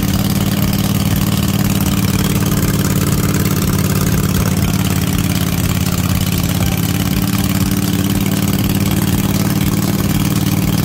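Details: Cub Cadet RZT-50 zero-turn mower, engine after crankshaft seal replacement and a new aftermarket carburetor replacing a freeze-damaged one: loud steady low drone with an even firing beat, no knocks or misses; idling smoothly.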